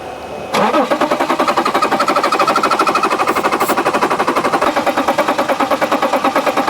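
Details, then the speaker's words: 2011 BMW X5 3.0L diesel with a crank-no-start, cranked with starting fluid sprayed into the intake tube and the accelerator pressed: steady cranking at about three pulses a second for six seconds, never fires. The engine sounds good, likely no mechanical issue. Cranks but no start. "very odd very odd it doesn't start with starting fluid I mean the engine sounds good I don't think we have a mechanical issue"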